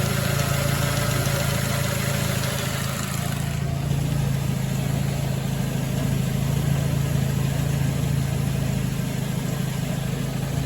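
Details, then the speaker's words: 2006 Ford Focus ZX4 at idle on ramps, before repair: faint dry rubbing hiss constantly over the engine hum from the belt drive; worn idler pulley bearing, pulley to be replaced. "so here we go we got almost a rubbing sound [Music] that right there is the pulley that I'm going to replace"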